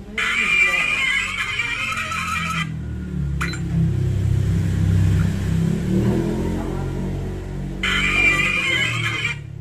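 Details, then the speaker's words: Samsung A04e phone loudspeaker, quiet after dropping into a bowl of chicken marinade, tested after repair with back cover off: louder than before but thin and tinny, much upper-mid edge, almost no bass. "karena dirasa agak cempreng walaupun suaranya sudah lebih besar dari sebelumnya"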